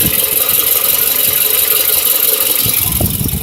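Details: 2008 Toyota RAV4, which also has an oil consumption problem: uneven idle with irregular stumbles and puffs. Very random misfire of unknown cause.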